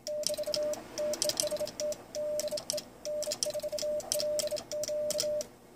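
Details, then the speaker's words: Icom IC-7300 doing QSK break-in after removing its amp relay, with the TR relay padded, driving a KPA500 amp keyed by the relay's driver transistor: crisp bug and paddle clicks and a steady Morse tone, relay nearly inaudible, so keying is quiet. "you can hear the clicking of the bug and the paddle but the relay is almost completely inaudible so it was a great mod to remove the amp relay"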